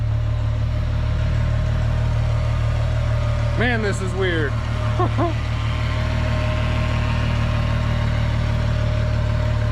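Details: VR6 engine from a 2002.5 6-speed Golf/GTI Mk V, front clip cut off and run outside the car on a drip fuel feed after extra ground wires added: smooth, steady low idle with an even rumble, no misses, knocks or hunting; normal idle.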